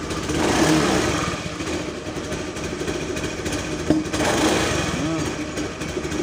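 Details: Honda Beat FI scooter that dies when throttle is given, fuel pump pressure checked and standard, rarely serviced: uneven sputtering engine that stumbles and surges. Persistent misfire (brebet), throttle and filter still to be checked.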